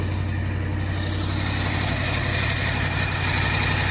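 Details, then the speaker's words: 1985 Chevy C20 carbureted truck, cold, after transmission replacement and new muffler: even, deep exhaust rumble at high idle on a working choke, steady beat, no ticks, knocks or exhaust leaks; idles cleanly, blowing some steam. "I think the choke's working now, dude. Sounds like it's up on high. Oh, that's good. Yeah, it probably does. Oh, that thing sounds good, dude."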